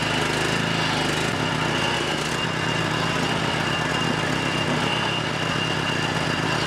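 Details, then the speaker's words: John Deere JX75 6 hp push mower, firing only after 5 to 8 pulls: small single-cylinder engine holding a steady, even run with no misses or surging; choke still suspected of not fully closing. "alright guys so it did take a long time for this thing to fire up what is that 5 to 8 pulls something like that"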